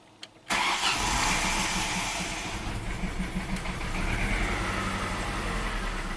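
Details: 1996 Mystique fitted with in-cylinder pressure transducer (about 70 psi at idle, 210 psi peak), started then throttle snapped: cranks and catches, then uneven lumpy idle with irregular beat, suggesting a cylinder misfire; cause unconfirmed.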